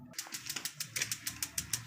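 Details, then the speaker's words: Propane tankless water heater with weak batteries (about 2 V reaching the solenoid) before battery replacement: sharp spark ticks about seven per second with no burner whoosh; gas valve not opening from low battery voltage. "you hear that you can hear the spark but you can never hear or feel the their propane go through"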